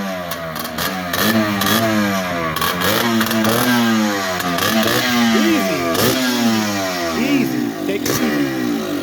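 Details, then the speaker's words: Yamaha Blaster two-stroke on its first start after a top-end rebuild, air box off: raspy blips rise and fall freely, extra loud and crackly without the air box, but it revs cleanly and runs fine. "yeah crazy that's because he don't got the air box on"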